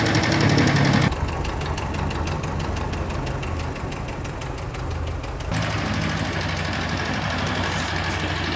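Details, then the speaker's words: A Kawasaki Ninja 250 FI idles with a steady metallic clatter, about four ticks a second, appearing on the first morning start, from a faulty cam chain tensioner. "Jadi untuk permasalahan dari suara yang seperti ini guys itu ada di bagian Tensioner keteng ataupun biasa disebut tonjokan ketengnya ya"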